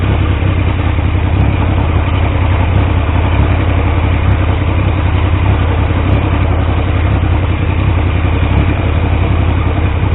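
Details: Triumph T150V triple after head and cylinder rebuild to cure oil leaks, now leak-free: steady even idle, constant low drone, slightly coarse, no misses or knocks; oil pressure around 40 psi under 2000 rpm; normal idle.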